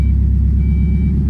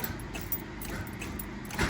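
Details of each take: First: Mazda Miata after water pump and timing belt replacement and retiming: engine catches into steady, even low idle, no misses or knocks; normal idle. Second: Mazda Miata cranked after water pump and timing belt install, with only the airbox and plug wires refitted: steady starter cranking with a few weak, uneven puffs and no catch. Crank, no start; sounds out of time even though the owner believes the cams are set correctly.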